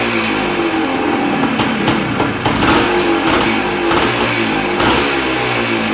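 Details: 1979 Suzuki PE250 two-stroke just fitted with a new 38mm carburetor (old float stuck, leaked, hard starting), started on choke: crisp crackle revs up and settles cleanly with sharp blips; engine pulls and runs well.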